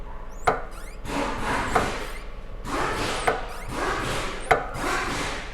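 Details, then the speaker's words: Honda HR-V worn shock absorber on the bench with dark fluid, compressing easily with swishing strokes that end in sharp knocks every second and a half as it bottoms out; it was replaced. "quando você desmonta que você vê escuro na acha porque ele já não tá uma coisa muito boa né E olha desce com facilidade e bate lá no fundo"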